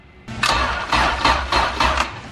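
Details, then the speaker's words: Acura sleeved GSR B18, a little cold, fuel pressure good: sluggish heavy cranking about twice a second, dragging, nearly catching but not starting; weak battery needs replacing. "Almost. She almost had it. It needs a battery is what it needs."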